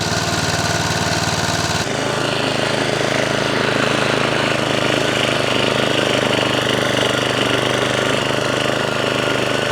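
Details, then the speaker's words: 1979 Norlett 1002 BS lawnmower, new in box and never run, after fuel mixture screw turned in for too much fuel: small single-cylinder engine chugs at a steady fast beat, no misses or surging. Normal running. "Engine starts, engine runs, cuts, even though it kind of rips the grass out instead of cutting it."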